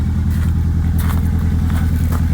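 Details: Ford Escort RS Turbo Cosworth EFI, cold start, newly fitted stainless Scorpion exhaust: steady, deep, even burble with slightly fast cold-idle beat, no ticks or blowing; exhaust tight and healthy.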